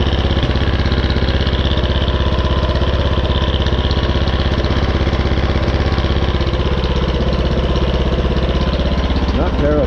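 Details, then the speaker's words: Craftsman R-1000 30" rear-engine riding mower, first start after the valve cover was tightened and the spark plug refitted (it sometimes smokes): loud idle with a heavy, even knock of about two beats a second; cause unconfirmed. "have that knocking sound"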